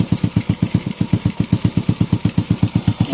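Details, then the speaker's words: Honda Wave 125 idling on its first one-click start after a top overhaul (new cylinder head, piston and rings, rebored block), carburetor not yet tuned: crisp thump about four even beats a second, no tick or rattle. Normal idle. "Pinong-pino yung kanyang andar. Ito lang yung maingay, yung carburetor. Ayun, tahimik na tahimik. Unang andar, swabing swabi."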